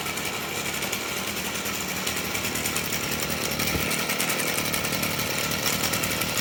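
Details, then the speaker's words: Stihl FS38 trimmer, two-stroke, at idle: thin, steady high squeal over its buzz from a dry clutch drum bushing. "Still FS38 squilling clutch drum."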